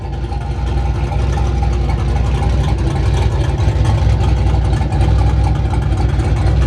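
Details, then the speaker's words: Single-turbo Chevrolet Silverado, straight pipes, warmed up after a cold start thought to need more tuning: loud, deep lumpy idle with steady rhythmic cam chop, no knocks or misses; healthy warm idle. "oh once it warms up you hear a little more of the chop"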